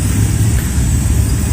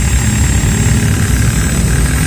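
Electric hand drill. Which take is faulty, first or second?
second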